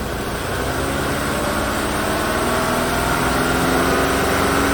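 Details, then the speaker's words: 2017 Chevrolet Equinox 2.4 AWD, used replacement engine just installed after PCV freeze-up and blown rear main seal, first start: idle turns rough and loping with a cylinder dropping out; misfire at idle. "that sounds pretty good oh what's going on there obviously missing"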